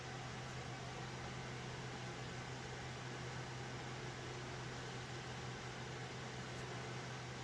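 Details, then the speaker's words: Alphacool Eisbaer Pro Aurora AIO on a server after pump motor replacement, full stress test: even rushing fan air over a low constant hum, no rattle, gurgle or grinding, heat coming off the socket; normal operation under full load. "yeah those heat sinks are actually working there's some serious heat coming off that socket okay so you can hear how noisy these fans are"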